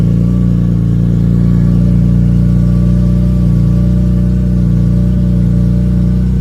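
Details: BMW E46 M3 with the clutch engaged (pedal up). Steady engine drone with a faint high whine over it; the source of the whine is unconfirmed.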